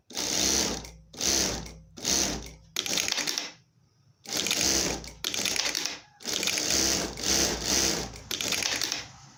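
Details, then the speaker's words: Siruba electronic straight-stitch sewing machine after an error 7 repair in which the motor encoder connector was replaced with a DB9. Pedal-controlled bursts of stitching start and stop cleanly in a steady rhythm with no knocks or catching; a normal run after the repair. "Aqui a máquina ligada, tá bom? Aparentemente respondeu direitinho. Vou pisar para costurar."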